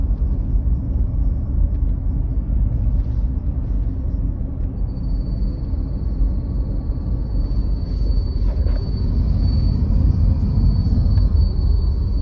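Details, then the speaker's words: 2008 Honda CR-V (3rd gen), manual, in cabin: thin steady high whistle from the heater blower motor joins low cabin rumble once fan runs, disappears when switched off; owner hopes lubricating it avoids replacing the motor. "Раздражает вот этот звук печки, моторчика печки. Выключаем. Звук пропал."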